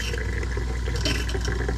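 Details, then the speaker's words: 2021 Aspen Trail LE 1950BH RV during de-winterizing, water diverted through the tank: heavy rushing flow with deep rumble and irregular gurgling spurts, like a marble pushed through; lots of air still trapped in the water lines. "you can kind of hear it almost sounds like you're trying to push a bear a bulb uh what do you call a ball bearing or uh a marble through the system but it's getting there there's still a lot of air in there"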